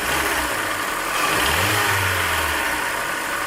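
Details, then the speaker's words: Hyundai Elantra petrol engine idling with a faint, uneven tick of about three to four per second over a hissy background, louder when cold; the tick reportedly appears around 70,000 miles, and piston slap is suspected, not confirmed. "Okay, and okay, here now the ticking thing. And when it's cold, it's even louder, okay?"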